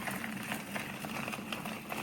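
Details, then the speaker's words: Newly built pulley-driven rock tumbler with variable speed control, running with barrel fitted at about 38–40 RPM; soft, steady rolling patter of stones, no knocks or squeals, very quiet unlike the old gear-driven one: normal running. "Put the barrel on, you hear the barrel noise, and that's about it. She's running about 38, 40 RPM, which is what we want."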